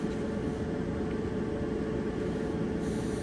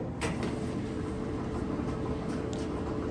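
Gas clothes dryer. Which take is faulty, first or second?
second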